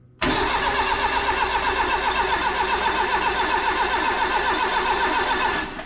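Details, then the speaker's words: Renault 5 GT Turbo engine in an Extra van, first start attempt: strong, even cranking about four turns a second for nearly six seconds, never fires; ECU voltage drops to 9 V, owner suspects a bad ground or weak ECU live feed. "I don't think it is 9 volts because well I do think it's 9 volts at the ECU but the car cranks over way too nice I'm pretty confident I've got a dodgy ground somewhere"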